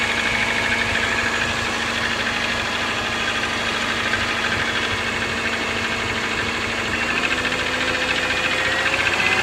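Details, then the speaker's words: 2003 Subaru Forester XS, about 25,000 miles, cold start: busy rapid ticking with faint knock underneath, loudest at left cylinder head, changes with throttle, nearly gone when warm; piston slap suspected, not confirmed. "this is my 2003 subaru forrester XS with about 25,000 miles on the odometer it is starting to make a loud ticking or pinging sound on cold starts"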